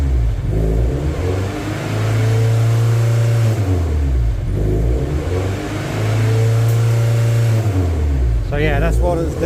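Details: MGF race car on live data: revs climb on their own, hang, then fall back to idle every few seconds. No fault codes, but multiple misfire detected keeps showing and the engine light has flashed since a conversion. Idle surge, hunting revs.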